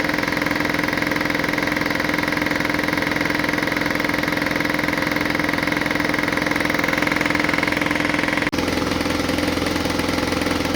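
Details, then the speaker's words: Air compressor that wouldn't restart with air in the tank: pumps with a steady rapid beat, then stops, leaving a continuous hiss; the unloading valve leaks continuously, pointing to a bad check valve. "well as you can hear the unloading valve is continuously leaking which indicates a problem"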